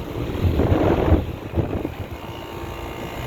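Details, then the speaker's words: Trane outdoor AC condenser running: loud, rough rumbling with an uneven throb about four pulses a second over the fan rush; sounds bad, cause undetermined. "Oh, this train does not sound too good. That does not sound good at all."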